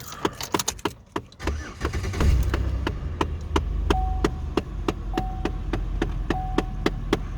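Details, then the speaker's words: 2006-2013 base police Impala with high mileage: low steady engine hum under light cab clicking, no misses or knocks; starts up, drives and runs smoothly. "But overall, this car is pretty smooth. Starts up, drives good."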